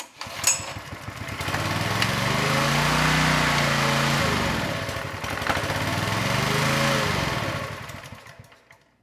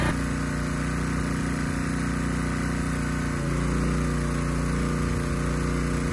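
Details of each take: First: Honda EG1400x generator, bought non-running, found with ignition, choke and fuel on: small engine revs up, sags, picks up and fades again; hunting from fuel starvation, a carb issue, with water in the bowl possibly contributing. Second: Honda EG1400x generator after cleanup, fitted with a new air filter: even, steady drone that deepens slightly as the 750 W load comes on, with no misses or surging; healthy running.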